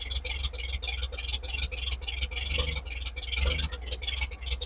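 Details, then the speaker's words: 1950 Chevrolet project truck idling steadily with about 40 psi oil pressure after the fuel and ignition systems were tidied up; a steady, even beat with a solid low rumble and no misses, a normal idle. "sitting there idling 40 lbs of OP"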